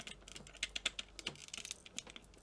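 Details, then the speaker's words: Sega Mega Drive/Genesis II game pad with Up, Down and A not working: light irregular plastic clicks and ticks when shaken, a loose part rattling inside; apparent oxidation, possibly from liquid, seen on the pads. "if you can hear that but it's rattling there's something loose inside so let's have a look"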